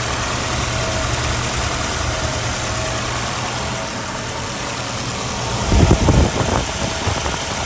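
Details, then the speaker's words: 1987 Volvo 240 GL wagon after an estimated 5+ years sitting, smoky garage, idle screw raised: uneven idle with faint irregular stumble and a rougher patch near the end; rough idle, cause unknown. "it's running okay i had to put it on high idle or i had to mess with the idle screw to make it idle a little uh what's it called higher because it started to"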